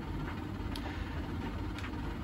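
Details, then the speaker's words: Samsung DV80M50133W 8kg heat pump tumble dryer after SC error checks of pump, hoses and heat exchanger: quiet steady low hum with soft drum rumble, no knocks or squeals; running normally again, cause unclear. "yeah it looks like it's working"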